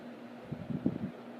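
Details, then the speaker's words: 2000 Heritage Fernaux 42-inch ceiling fan, bought new without box, on high speed with very slight wobble and occasional drywall debris in a motor vent: soft steady air rush over a faint even motor hum, no rubbing; quiet on high unlike the noisier medium and low. "And on high, it actually moves pretty good air. It's quite quiet on high."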